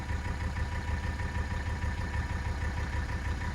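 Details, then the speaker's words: 1984 Mercedes-Benz 300D turbo diesel W123, warmed up, after replacing vacuum line fittings (smoke test found nothing): steady low diesel chug keeps running 5-7 seconds after key removal, prolonged run-on blamed on a minor vacuum leak still being tracked. "You can hear it running down, and there she goes. All right, so that was about 5 to 7 seconds after the key was removed for it to turn off."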